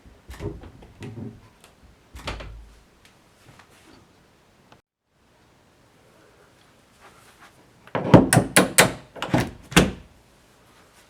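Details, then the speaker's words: Hinge door swings and closes with soft thunks and clicks, with no squeak or creak, after the hinge pin was removed and cleaned with WD-40. "As you can see, no squeaking at all."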